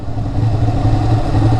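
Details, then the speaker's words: Ducati Panigale, warm after a ride: lumpy, uneven low thumping idle with irregular pulses; the bike idles rough for a while when restarted warm, cause not stated. "You hear how rough this bike idles? Like if you start it up and it's still warm, like it idles so rough for a little while."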